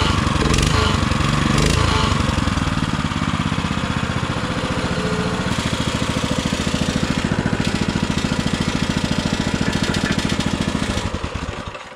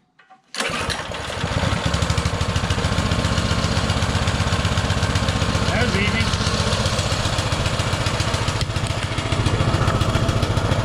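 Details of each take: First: Baja Motorsports Baja Warrior mini bike, running in very cold weather: a loud, raspy, mower-like exhaust popping evenly at a fast idle, then shutting off; it runs smoothly, but the exhaust is to be changed. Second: Baja Motorsports Baja Warrior mini bike with small Japanese-made carburetor, just started: a fast, busy putter that never drops back, idling way too high on choke; the owner fears removing the choke will make it rev higher.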